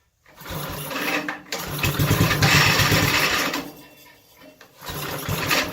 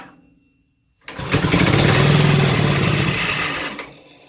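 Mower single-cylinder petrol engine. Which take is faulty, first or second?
first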